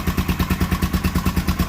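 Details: Honda XL 500R single, first start after standing about 2–4 years, running with steady, even thumping at roughly nine or ten beats a second, no misses or rattles; normal running.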